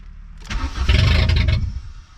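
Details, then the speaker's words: Junkyard VW Golf Mk3 restarted after sitting, catches for about a second with a rough low rumble then dies instantly; owner suspects it ran out of gas as the fuel needle didn't move. "let me start it one more time let's see what she does this time oh instant off that time"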